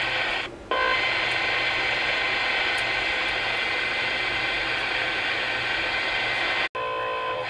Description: Weird noises coming across the bands today. 6 channels on the cb bands on AM.